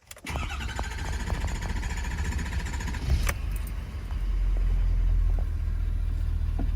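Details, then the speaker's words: 2015 Ford F-250 Powerstroke diesel after changing both fuel filters and priming air out: starter whirs about three seconds, then catches and settles into even clatter; normal start. "might take a second or two to crank but it should crank all right"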